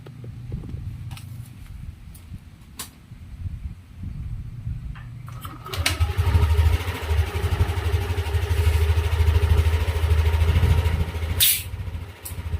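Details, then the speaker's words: Yamaha NMAX scooter after CVT cleaning and reassembly with CVT bolts torqued using a new torque wrench. Starts and settles into an even, steady low idle with no belt-drive rattle or scraping: quiet again, normal idle. "Yan, tahimik na ulit mga kaduit at nalinis na natin ng ayos."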